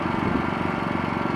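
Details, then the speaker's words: Wen 3100-watt inverter generator in eco mode, powering an RV, no oil change in six months: small engine holding a steady, even putter with no misses or knocks; idling quietly and smoothly. "It runs pretty smoothly. And that's without an oil change in 6 months."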